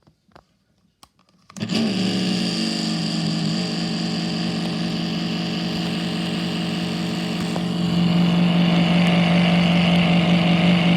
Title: Prinetti desk fan with bad bearings